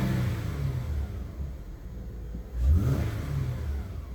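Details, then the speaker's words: 2013 Honda Odyssey V6, previously logging misfires on cylinder 3 and told it had low compression: it revs up and settles smoothly with an even low note, and the scan tool counts no misfires. "we're not counting a single misfire um see misfires none"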